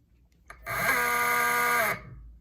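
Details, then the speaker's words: BLDC brushless motor 6374 170kv on an e-bike controller while testing hall and phase wire combinations: loud steady high whine with a gritty buzz, same rotation; runs rough, wrong wiring combination. "it is too loud if you can hear it okay so the rotation is still the same it's loud that's not what you want"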